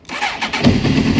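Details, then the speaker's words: Honda CBR900RR Fireblade with an intermittent hot-start problem, owner suspects an electrical fault (alternator or starter motor): brief crank, then it catches at once and settles into a steady, even idle, a clean start this time. "Started straight away. Started fine, runs fine."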